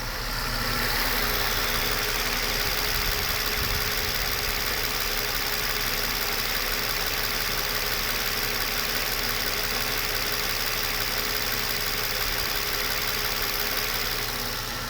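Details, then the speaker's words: Mercedes 600 SEL V12 with EGAS throttle computer, still cold, camera down in the engine bay on the engine: smooth, even idle with a steady hum, no knocks, misses or shaking. Normal idle. "I'll put the camera down on the engine just so you see that it runs just fine."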